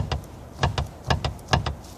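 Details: BMW E36 rear suspension, recently rebuilt (bearings, bushes, arms), bolts tight, car rocked by hand: dull low clunks about every half second from adjustable camber/lower control arm inner joint; owner suspects that joint, unconfirmed.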